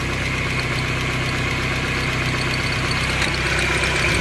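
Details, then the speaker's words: Honda CRX at idle with a newly installed second replacement distributor and valves still awaiting hot adjustment: uneven ticking about four per second over engine hum; source not pinned down. "since the last H hear that we got to hunt that down sound that sounded like that new"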